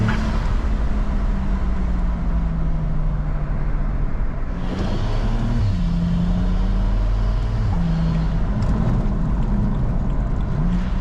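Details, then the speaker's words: BMW N54 after 6-speed automatic to DCT swap, first drive: deep uneven shudder and rumble pulling away at low speed under load; flywheel chatter suspected, possibly wheel split or something vibrating, not confirmed. "can hear that flywheel shutter chatter whatever it is"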